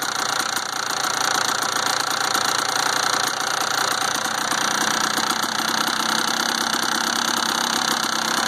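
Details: Rattling 1992 Kawasaki KDX200 two-stroke engine: busy buzz with a fast, uneven tinny clatter throughout; owner asks whether the rattle is normal, cause unknown.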